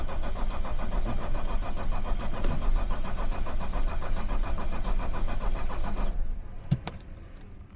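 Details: Racing Turtle diesel with a new battery, cranked after waiting for the glow plugs and overfilled with oil: the starter spins steadily for six seconds and the engine never catches; unprimed fuel suspected, and the hand pump is used next.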